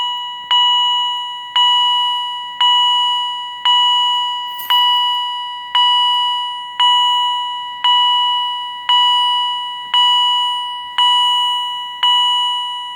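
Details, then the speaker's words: Edwards Integrity chime strobe, higher-pitch unit with mounting plate on, activated from an EST SIGA-278 pull station; clear high ding roughly once a second, evenly spaced and decaying; chime strobe sounding normally on alarm. "And it sounds exactly the same as my other Edwards Integrity Chime Strobe, but at a slightly different pitch."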